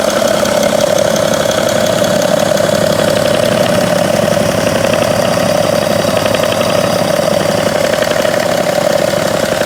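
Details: 2011 BMW 335d 286hp, 205,000 km, warm idle: steady diesel clatter with faint intermittent clicking at the front of the engine near the damper pulley, about 2 s every 3 s; gone when accelerating, softer with A/C on, absent cold.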